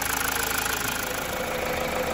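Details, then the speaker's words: 2016 Mazda 6, towed in as a no-start with code P0337 (crankshaft position sensor circuit low), now fixed by cleaning the ECU contacts: a smooth, steady idle with no misses or knocks, and no codes after a 20–30 km test drive. "right guys this MDA is running as sweet as a not"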